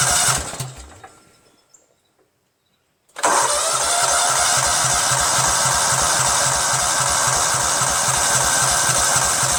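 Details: Cub Cadet tractor with a 13 hp Kohler Command CH13, fuel line disconnected from the carb to test the mechanical fuel pump: starter spins the engine steadily, about four chuffs a second, no firing; the pump only trickles fuel.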